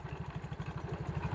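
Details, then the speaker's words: Yamaha Mio GT scooter with harsh clatter and badly reduced power: quick low clatter, about twelve knocks a second at idle, from the CVT as the rear pulley visibly wobbles; worn rear CVT pulley. "para sahabat bisa perhatikan gerakan di bagian puli belakang ini gerakannya itu bergoyang-goyang seperti itu"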